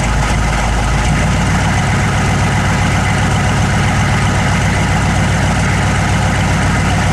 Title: 1009 rough idle